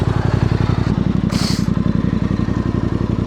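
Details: Voge DS625X motorcycle after crash repairs (coolant leak), idling at a roadside stop after a coolant check showed it still at the upper level: even, regular thump around three to four per second, no clatter or misfire; healthy normal idle.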